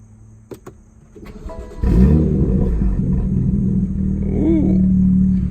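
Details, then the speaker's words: BMW M2 auction rebuild, first start-up after coolant was filled and the system bled; brief crank, catches cleanly and settles into a smooth steady idle with no misses or knocks. "alright boys moment of truth we got down a coolant filled everything seems to be in check so let's give it a try and start her up and see how she sounds we go first start up"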